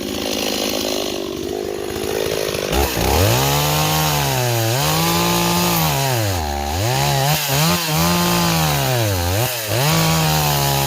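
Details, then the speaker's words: Stihl 026 two-stroke chainsaw, returned as a no-start, howls and bogs as it loads into wood, revs sagging each cut; rakers were taken too low and the chain stretched to hell, so it cuts poorly before a bar-and-chain swap. "I'm going to try a different bar and chain okay I got us a different chain on here yeah that chain was stretched to hell"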